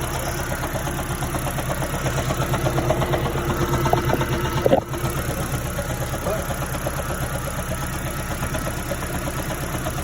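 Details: 2010 third-generation Toyota Prius with code P261B after the electric water pump failed and the check-engine light was repeatedly cleared. Idles with an uneven, dull knocking underneath; engine knock, cause unclear.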